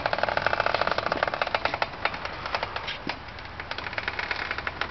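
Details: 2004 Subaru STI pushed at about 1 mph: sharp regular clicks from both front wheels, turning to scratching faster; brakes all new, hub bearing thought unlikely; noise vanishes when it rains, present 5-6 months, slightly louder in dry air; cause unknown.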